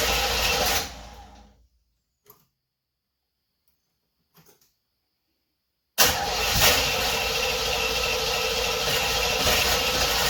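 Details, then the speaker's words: 1976 Corvette Stingray that sat 8–10 years after its steering column broke, on first start attempt with new fuel lines, new fuel filter, 20 liters of fresh fuel, fresh oil and filter: starter churns steadily, stops, cranks again, but never fires. Cranks, no start. "So, why don't we crank this thing over and see if we can get it start for the first time in 8 to 10 years. Let's see what happens. Here we go, fingers crossed. And nothing."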